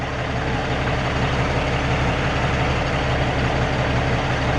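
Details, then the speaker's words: Peterbilt 379 with an ISX Cummins diesel after a loose part was fixed: a deep, even idle rumble with no misses. It sounds smoother and burns cleaner than the heavy smoke seen that morning. "It sounds smoother too."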